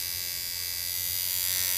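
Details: Coil tattoo machine, American-made shader with a rubber damper between screw and spring bar, running on low voltage: steady even high buzz with no stutter; smoothly running, properly tuned.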